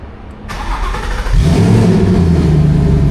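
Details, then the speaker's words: Twin-turbo car after relocating the battery from far in the trunk, charging voltage 14.4–14.5 V: short crank, fires immediately into a strong steady rumble; starts much better than before. "Oh yeah! Let's go! Good voltage. Starts up way better now."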